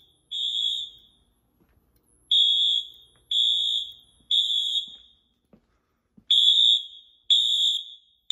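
Loud high-pitched horn blasts, each about half a second, in an uneven coded pattern with quiet gaps: the alarm horns are sounding normally.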